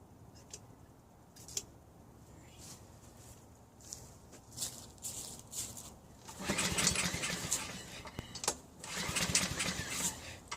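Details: Honda HRN216 mower after drive belt replacement, on 3-month-old fuel plus a little 2-stroke mix: scattered pull-start bursts and brief sputters, never settling into a steady run; reluctant to fire.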